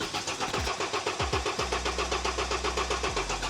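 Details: 2009 BMW 118d diesel with unexplained dash lights and the battery light on: cranks, catches with a couple of thumps, then runs with an uneven pulsing beat about four a second. Rough running after start.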